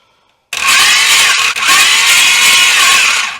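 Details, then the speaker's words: 500hp V8 in a Honda, first-start attempt cranking with plugs out; harsh high-pitched whirring grind for three seconds, owner thinks the starter isn't adjusted right, possibly poorly meshed with the flywheel. "Hey! Hey! That starter does not sound good. I don't think I have that starter adjusted right."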